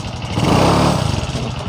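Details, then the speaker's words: Honda Supra X 125 Karisma with weak power on climbs: on throttle the engine revs and roars while the bike barely moves, then sags; centrifugal clutch linings worn thin, with the clutch bell also a possible cause. "Nah di sini pada saat kita gas ini motornya itu tidak langsung jalan ini motornya itu teriak baru jalan kita coba lagi"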